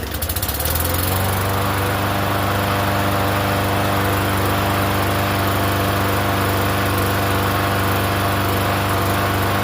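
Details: Free Yard Machines 21-inch self-propelled mower, unused for over a year, restarted after priming, running on gas: steady even drone, no misses or knocks; runs smoothly.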